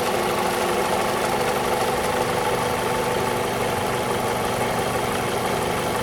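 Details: 2002 Toyota RAV4 engine: rough idle with fast, uneven light tapping under a constant drone; top-end engine knock, owner suspects the VVT-i coupling, unconfirmed.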